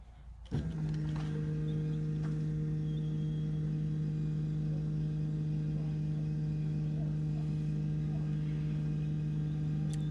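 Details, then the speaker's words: BMW F15 X5 35d diesel after fuel filter replacement, primed without scan tool: constant low hum, no gurgle or bubbling; fuel pump primed and running smoothly. "so as you guys can tell everything seems to be running smoothly you don't really hear any uh of the air being pushed through"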